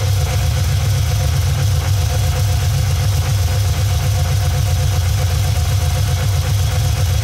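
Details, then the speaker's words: Cammed Vortec V8 OBS truck with new Summit Racing Max Performance carburetor, during vacuum-gauge tuning of idle mixture screws (quarter-turn adjustments, vacuum near 15): deep steady burble, already smoothed out a lot, even with no misses; normal idle. "gonna come over here we're going to run these in items already smoothed out quite a bit our vacuum starting to drop"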